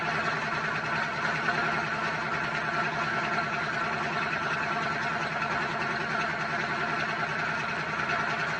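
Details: Dodge V8 truck started after all vacuum lines were replaced and the battery charged: a steady, even idle with a deep, smooth rumble and no misses or knocks, running healthy.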